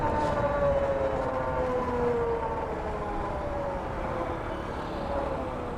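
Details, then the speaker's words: Motorcycle ridden on busy road after U-turn: thin steady whine slowly dropping in pitch over road and wind rush, suddenly coming from the bike; source unclear. "Which sound is this? I'm getting bad sound. What is this? It is coming from my bike."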